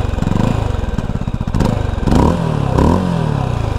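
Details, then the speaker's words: Mash X-Ride 650 Trail single-cylinder motorcycle: steady single-cylinder thump at idle with a quick throttle blip, even firing, no knocks; healthy idle, exhaust note fairly quiet and it vibrates a lot. "c'est un bruit de mono, quoi, un petit peu d'échappement, ça serait quand même bien."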